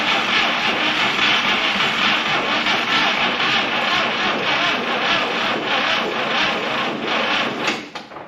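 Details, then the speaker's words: 1961 Buick LeSabre Estate Wagon 364 Nailhead, after three decades: the starter turns the engine over slowly and laboriously, about four beats a second, and it never catches. Slow cranking, no start; owner notes these Nailheads never crank fast. "Yeah, these nailheads do not turn over fast at all."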